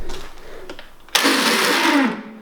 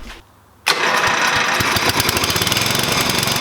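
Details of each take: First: 1988 Dixon ZTR 311 zero-turn mower with Briggs & Stratton 11HP engine, won't start: a second-long rough whirring of the starter with no firing, then spin-down; the starter wants to crank but isn't turning the engine over; starter Bendix drive fault. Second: 1988 Dixon ZTR 311 mower with a Briggs & Stratton 11HP engine, after full restoration and carburetor needle adjustment (seated, then opened 1.5 turns): catches within a second and settles into a fast, even run with no misses or surging. Normal running.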